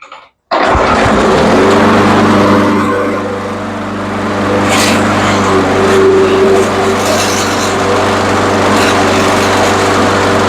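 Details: Troy-Bilt mower with old-style Briggs 550 engine, plastic carb rebuilt with new diaphragm after no-start: fires right away and settles into a steady, even buzz with no misses or hunting; normal running.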